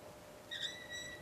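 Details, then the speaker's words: Tapping a thread for a homemade water-cooled Briggs and Stratton engine, done dry without oil; a sharp high squeal as the tap runs crooked and wobbles. "listen to it screaming screaming it's not rocket science here something ain't stra something's wobbling"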